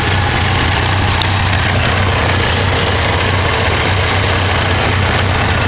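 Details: 1987 Ford Ranger 2.3L four-cylinder started after sitting a while: low idle hum with a faint uneven pulse underneath; rough idle, owner suspects the carburetor needs rebuilding or tuning.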